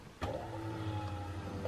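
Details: Nissan S13 after replacing the weak stock fuel pump and filter, ignition switched on: a sudden steady low hum with a faint even whine as the new pump primes smoothly, no leaks; normal fuel pump prime.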